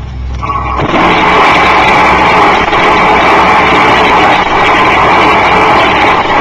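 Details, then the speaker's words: Mid-1960s Turbonique monopropellant thrust engine on a static thrust stand, no thrust-augmenting ejector, exhaust jet into open air: loud steady roar with harsh hissing rush, no surging or popping; normal operation. "thrust engines will be heard operating on Germany static thrust measuring stance his high velocity exhaust jet discharges directly into the still surrounding air"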